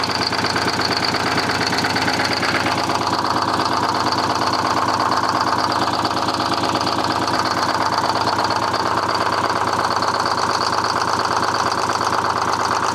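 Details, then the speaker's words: Detroit 6V71 two-stroke diesel in a 1970 Peterbilt 341, run with the valve cover off after the injector was cleaned and reinstalled. Lumpy idle with a hollow gap each cycle; one cylinder still dead, heavy blowby persists. "That one's still dead."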